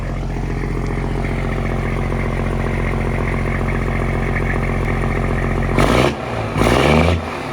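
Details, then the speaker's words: Freshly built semi truck (FLD/Argosy project) first fire-up with new exhaust hooked up: deep, even diesel rumble at idle, then two short sharp throttle blips rising and falling cleanly; louder than expected, sounds healthy, normal engine revving. "Dang, that's loud. That's way louder than I thought it was going to be."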